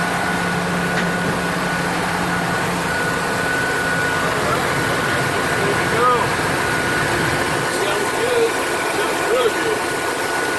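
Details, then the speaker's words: Ford F-250 fresh engine on its first startup after installation, still cold with the thermostat not yet open: steady, even idle with a soft constant hum and no knocks, ticks or misses; very quiet and smooth, healthy. "Very quiet. Smooth. Very smooth."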